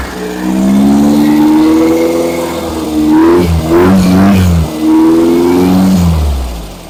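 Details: Engine during break-in, after fixing a backwards-connected fuel pump and reconnecting the vacuum advance line: revs rise and fall cleanly under throttle blips, steady firing without knocks or sputter; fuel supply now feeding properly.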